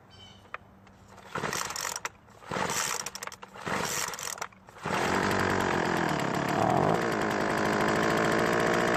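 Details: Craftsman 2-cycle leaf blower after replacing a failed ignition coil (previously no spark): several pull-cord tugs, then catches and holds a steady, even buzz with smooth rev change; running properly.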